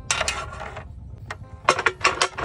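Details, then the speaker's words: Motorcycle with water deliberately put in the fuel tank: bursts of ratcheting kick-start clatter with no firing or catch between strokes; cranks but won't start because of water in the fuel, fuel looked pale. "Lagyan ko ng tubig yung tangke ha tubig Oo sabi nila eh kaya pala Ayaw umandar Kaya pala putla yung gasolina kanina"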